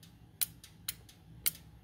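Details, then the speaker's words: 2003 Honda CR-V K24, code P1279, engine warmed up: VTEC solenoid clicks sharply when 12 V applied at idle, yet VTEC still not engaging per pressure switch. "hear that click that solenoid is clicking so VTEC is still not working after the motor is warmed up"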